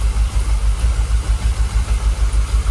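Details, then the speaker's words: Jaguar XKR with fuel pumps dormant about 10 years, idling at about 800 rpm with 45 PSI fuel pressure: an even idle with a steady pulse and no stumbles, much smoother than its earlier rocking and stalling. "Sounds alright, doesn't it? You can see on the engine, look, it's calmed down. It's a lot smoother. We're not rocking like it was."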